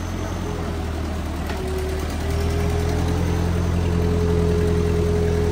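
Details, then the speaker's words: Old Ford tractor idling after clutch linkage adjustment, before PTO and 3-point lift test: thin steady whine over the engine rising slightly under load, pointing to the hydraulic pump; low fluid suspected, not confirmed. "Sounds like it might be low on fluid."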